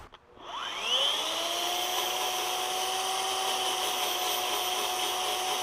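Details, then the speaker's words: Electric chainsaw converted to wood-carving power gouge, belt drive after tightening/seating belt: spins up in about a second to a high steady smooth whine; running normally, faster now. "Sometimes they just need a little bit of adjustment time. So this is running faster now."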